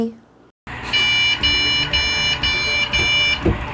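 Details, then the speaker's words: POST beep code from a PC motherboard with no display and no boot. Repeating high beeps, about two a second, signal a memory error. The RAM may be unseated in its slot or the memory module itself may be faulty. "이것은 메모리에 문제가 있을 때 나는 비프음이 다 메모리 슬롯에 제대로 삽입되지 않았거나 메모리 모듈 자체의 불량일 수도 있다"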